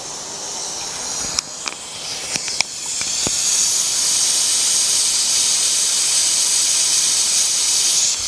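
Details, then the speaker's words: Pressure cooker (presto) reaching working pressure above 80 kPa on the stove, heat to be lowered afterwards; a loud, steady high hiss builds after a few clicks, showing the safety valve venting normally at working pressure. "desisan terdengar makin kuat tenang aja saya akan Tunjukkan ke kawan-kawan sekuat Apa itu sisanya ketika dia maksimum ya tenang aja kalau udah mendesis gini artinya klep pengaman kita ini bekerja dengan baik"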